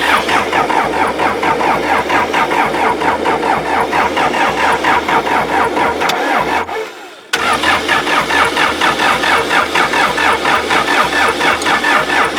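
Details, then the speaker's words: Old backhoe sunk in a pond for seven months, drained and pre-oiled, now refuelled and bled with injectors loosened. The diesel cranks slowly at about two compressions a second, pauses, cranks again and never catches. Crank, no start; owner suspects a missed bleed screw. "Hold it. Hold it. That's cranking pretty slow. Yep."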